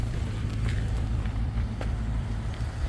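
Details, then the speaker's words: 2005 Maserati Quattroporte, Ferrari 4.2 litre V8, 400 bhp, bonnet open, after repair (new battery, earth cable sorted, full reset; previous garage fitted a Bosch throttle body): deep, steady even rumble, no misses, some wind noise; normal idle. "Oh, she sounds good now. There you go. Ferrari 4.2 litre V8, 400 brake horsepower, absolute beast."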